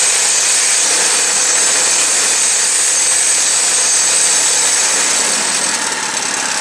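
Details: New Predator 212cc 6.5 hp engine on snow blower, replacing 40-year-old engine with failed carburetor, blowing snow: loud steady drone with hissy auger and snow rush, holding speed evenly under load; runs strong and healthy.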